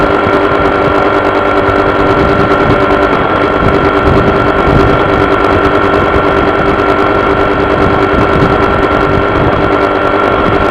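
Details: Honda PCX scooter with a loud steady engine drone carrying a constant fixed-tone buzz that stays level throughout; vibration buzzing of unknown source.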